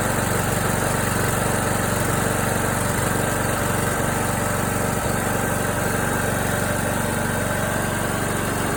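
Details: John Deere D105 with Briggs & Stratton Intek 17.5HP engine that seized from lack of oil while mowing, restarted after oil added and new Champion RC12YC plug: steady, fast, even single-cylinder chug with no knocking or misses; sounds okay for now.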